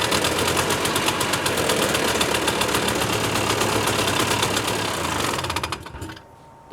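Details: 1988 Yamaha Inviter two-stroke after a newly installed tether safety switch; fast, crisp, even crackle with no misses, then winds down and stops: engine runs fine.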